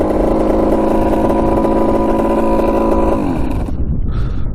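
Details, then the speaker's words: 1985 Yamaha YZ80 two-stroke after top-end rebuild, water pump check with cap off: buzzy steady fast idle with even tone then easing off, no knock or rattle; coolant pumping, epoxy repair holding. "start it up and we'll see if it's pouring out at the top of the tube right here if it is that means it's working yeah it's working"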